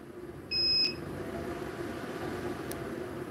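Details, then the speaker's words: Power inverter running a house during a grid outage, pulling about nine amps with fans and lights on: one short, sharp, high-pitched beep over a faint hum; overload warning from too many household loads. "you can hear it beeping so um that's that's what was going on there"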